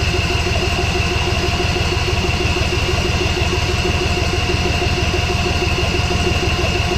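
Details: John Deere Z445 mower after carburettor cleaning for a hard, rough start: steady, even small-engine putter at fast idle with a faint high whine, no stumbling or surging; normal idle.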